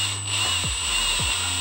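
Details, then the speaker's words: Cordless drill boring a Jeep Wrangler YJ one-ton spindle for 3/4-inch heim-joint steering, with gear oil and the battery braced against the frame; steady high whine, two brief spin-downs, now little chatter. "this a lot less chatter now that the drill bit stabilized"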